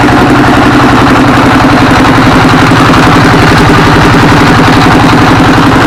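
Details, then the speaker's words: Single-cylinder S1115 24 HP diesel, previously thick black smoke and surging speed, after repair; steady fast idle thudding about 220 beats a minute, evenly spaced, no stumble or knock, smoke reduced, idling normally. "Hai Baik sahabat ketika posisi stasioner ya ini gas ini bisa besar kecil besar kecil ya posisi stasioner itu tidak masalah normal ya"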